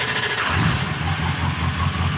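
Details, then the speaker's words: Diesel truck cold start after a brief glow-plug wait: catches at once and settles into an even, low, steady clatter with no misses; normal cold start. "Make sure you give it like a second or so, because diesels, they take a little."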